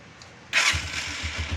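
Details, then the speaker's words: Honda TMX 125 Alpha motorcycle started with the ignition key bypassed by wiring red and black wires direct: short starter whir, catches within a fraction of a second and settles into an even steady beat; normal start. "i-start na siya. Wala siyang susian."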